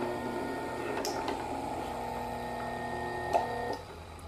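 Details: Ventisol Turbo 6 50cm 135W six-blade table fan tested briefly after oscillation-system repair and capacitor refit: steady motor hum with faint mechanical purr, no knocking or grinding, head oscillating smoothly and evenly; normal fan oscillation.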